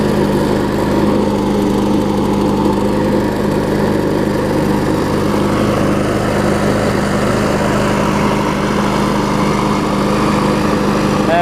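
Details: John Deere JS63C mower after the new flywheel key was installed: a steady, even single-cylinder drone with constant pitch and no misses or surging. The engine runs smoothly.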